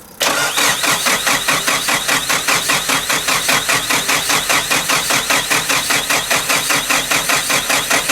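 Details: Nissan Pulsar GTI-R that sat abandoned for a long time, cranked on a borrowed battery with a fuel line run outside the car: the starter spins the engine steadily at about two and a half beats a second but it never catches, no fuel delivered, and the fuel filter leaks.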